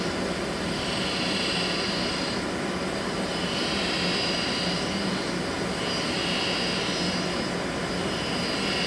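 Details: Draft inducer fan motor, a FASCO-labelled ball-bearing replacement suspected fake, under one season old: steady fan roar with a hissy upper tone swelling and fading rhythmically and intermittently; failing bearings.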